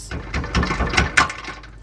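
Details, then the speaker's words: 2004 Nissan Maxima with a front rattle while driving, heard from underneath: a few sharp metallic clanks in quick succession as the exhaust is struck, the loose muffler banging against a nearby part; exhaust muffler knocking against a bracket. "time you hit that muffler is hitting that ball"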